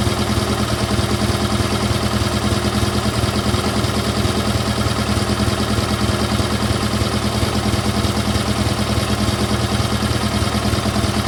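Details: GT/18 twin after ignition rebuild, no choke, low idle: even steady putter about three beats a second, no misses or knocks; charging system working, seems to run better, carburetor still needs tuning.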